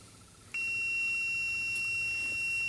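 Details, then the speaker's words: 47-year-old Porsche 914 with original fuel injection and a no-start fault, multimeter on the ECU ground circuit: steady high-pitched continuity beep showing very low resistance to ground; the ECU ground is probably good. "that's beeping because I still have it hooked to ground that is the ECU ground circuit so I am touching ground here that has very low resistance to ground so that means it's probably a good ground"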